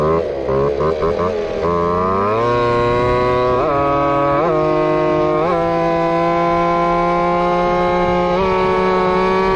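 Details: Two-stroke RC Big Foot, hot pipe, top-end needle adjusted, about 28 mph: high buzzing full-throttle wail, pitch dipping and wavering; running lean, starting to break up.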